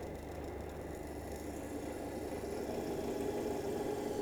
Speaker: you can start hearing this noise the crackling noise which is coming that is the indication that the cavitation is taking place